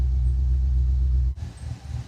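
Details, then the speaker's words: Cammed GMC truck after a 4L80E transmission swap, shifted into drive after earlier bad noises: a steady deep idle rumble, a short dip on engagement, then even running with no bang. It engages normally; the earlier noise is suspected to be a misaligned transfer case. "sounds good. I think all that was was maybe the transfer case wasn't quite aligned where it was supposed to be."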